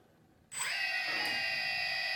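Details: DJI Phantom Vision/Phantom 2 after T-Motor Antigravity motor conversion, motors restarted at idle: sharp spin-up settling into steady clean high whine, no wobble or rasp; normal motor idle before throttle increase.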